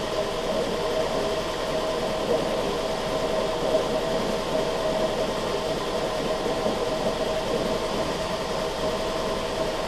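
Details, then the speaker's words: 2002 Toyota Camry 2.4 four-cylinder, 220k miles, after new valve cover, ignition coils, spark plugs and throttle body cleaning for low idle after battery disconnect: steady even idle, no misses or surging, going through idle relearn. "so it's going through its idle relearn process now"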